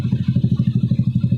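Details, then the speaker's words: Honda Beat FI single-cylinder scooter idling after a pulley replacement fixed a worn crankshaft; it now kick-starts, with a crisp, even putter of about ten pulses a second and no rattle or knock. Smooth stock sound. Normal idle. "Wah, disela udah bisa. Seandainya kalau kurang ring ya nggak nyangkut ya aman ya. Ya bisa dengar suaranya halus tetap ya. Kembali lagi motor standar ya teman-teman."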